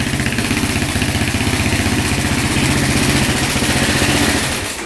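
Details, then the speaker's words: 2004 Suzuki LTZ400 quad, single-cylinder, after carb cleaning and fresh fuel; it ran but shut off until the idle was turned up slightly. Now a steady, even thump with no stumbling, a normal settled idle. Run briefly because there is no coolant and the oil was low. "all right we're going to turn the idle up a little bit there we go it's iding good now throttle was just a little low"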